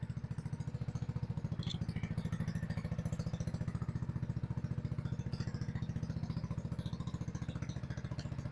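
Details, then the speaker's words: RPS 150cc sport ATV after carb cleaning and idle screw adjustment, warmed up: steady even single-cylinder idle about 3.5 beats per second, no misses or knocks; normal warm idle, though customer reports it shuts off after about 15 minutes. "all right got a little heat in the motor it runs so let's put the seat on"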